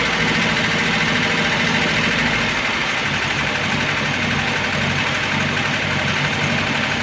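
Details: Engine at full operating temperature after sitting a day and a half, hot idle with a dull, fairly regular tapping about four times a second from the top; oil pressure lamp flickers when hot; heavily worn camshaft and bed knocking.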